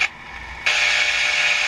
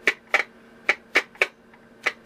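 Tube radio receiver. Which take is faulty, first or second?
second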